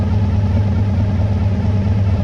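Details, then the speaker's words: 1985 Honda VF1000R V4 after carb clean and airflow-gauge balancing, idle set slightly high; even, smooth low burble, revs out and returns to idle cleanly, no misses or knocks; idle issue fixed, normal idle. "when I rev it so it's revving out nicely and it's returning to idle nicely so yeah I'm happy with that that's addressed the uh the idle issue"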